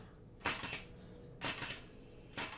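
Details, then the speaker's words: 3D-printed air engine fed from a pressurized bottle, push rod too short, spun by hand. Three faint airy hisses about a second apart; the valve opens only slightly and lets in too little air, so the engine won't turn over. "doesn't sound like much air is going into the engine so it's not turning over you can hear the valve opening very slightly but it's not letting enough air in for the engine to properly spin"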